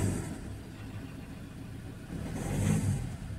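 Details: Ford Ranger 2.2L diesel idling, then stumbling unevenly when the throttle is snapped: one cylinder misfiring under load, with no fault codes stored.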